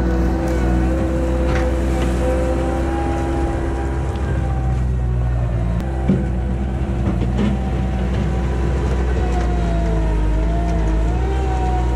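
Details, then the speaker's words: 1999 Bobcat 864 tracked skid steer after installing a rebuilt right-side drive motor (old one weak, whining): deep steady diesel drone, light hydraulic whine rising and dipping under load, no knocks; smooth, working properly. "I mean I probably put you know a short hour on it just now digging in the dirt but you know it's doing what it's supposed to do and it's nice and smooth that doesn't stop or anything"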